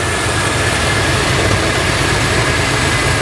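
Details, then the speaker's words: 1986 Chevrolet K30 dually carbureted V8, first run, oil pressure and alternator charging, most carburetor vacuum ports uncapped, fuel pouring out, presumably from the pump: steady fast even idle, deep rumble, no misses; high idle from vacuum leak. "So one glaring issue we have is most of the vacuum ports are open now. We have to kind of reconfigure this thing."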